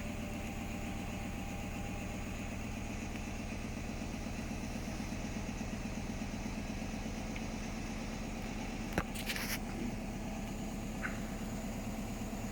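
Rapid regular thumping from the drum with a steady rumble underneath, plus a sharp bang near the end; a badly out-of-balance spin load. Cause suspected, not confirmed.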